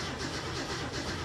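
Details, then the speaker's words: 1967 Mustang with a Holley Sniper 1100 EFI: the starter cranks evenly and fairly quickly but the engine never catches. Cranking voltage is about 10 V (it earlier cranked at 9-something). It works briefly only after sitting overnight, then won't crank. "Well, it cranked for a second. Let's try that again. I'm trying to press the pedal too. And now it won't crank."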